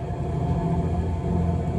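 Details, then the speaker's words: Boat electric drive motor tested in reverse while pulling against a mooring ball after a battery post repair and a new cable, amperage increased to about 50 amps: deep, steady low rumble with no surging or grinding. Normal running in reverse under load. "I'm just gonna pull on my mooring ball. Start to increase the amperage. I can now hear it going in reverse."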